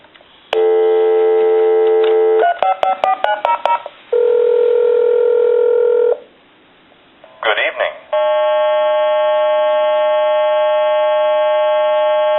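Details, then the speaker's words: Spirit of St. Louis speaker telephone after repair, original transistors reinstalled: speakerphone dial tone then redial, clean steady dial tone and a quick string of crisp paired DTMF beeps, dialing works properly. "So, I'm going to go ahead and I'm going to hit the speaker phone and access the dial tone. I'm going to hit redial."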